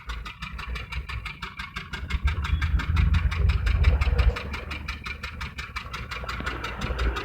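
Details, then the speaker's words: Maruti Suzuki Wagon R K10 engine at idle, check engine light on, heavy vibration, heard at the exhaust: lumpy uneven puffing with beats dropping out, one cylinder missing. "यहां पर silencer पर उसका देख सकते हैं आवाज भी कितना मिसिंग चल रहा है"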